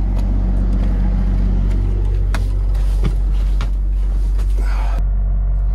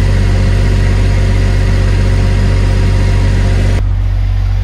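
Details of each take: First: Diesel generator in a bus RV conversion, mounted on a vibration pad, heard from inside the bus: deep steady drone with loose irregular rattles as vibration shakes the floor panels; owner plans to insulate under the floor. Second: Diesel generator in a bus RV conversion, running on a new vibration pad: steady, even low drone with no knocks or misses; noticeably less vibration felt, though some panels inside still rattle.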